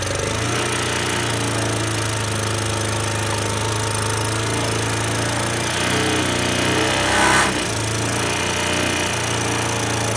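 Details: Honda Today moped engine holds a flat, steady drone and barely picks up when the throttle is blipped; won't rev freely, carbon buildup suspected, engine conditioner to be tried.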